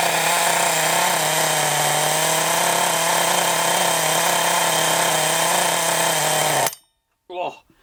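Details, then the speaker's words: Thunder Tiger .28 Pro nitro RC engine, flywheel but no clutch or bell fitted: high, steady buzzing run with a slightly strained, thin note, then it cuts; sounds slightly lean, main needle being richened. Lean suspected, not confirmed. "Too much. It just sounds a little bit lean, so I was just trying to turn that main needle out a little bit just to see if it's reaching it up a tad."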